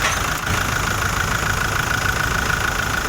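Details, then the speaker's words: Toyota Innova on first start after a general overhaul, not yet broken in: steady, even idle with a soft regular patter and no knocks or rattles; normal idle. "Ay, umandar na yung Innova."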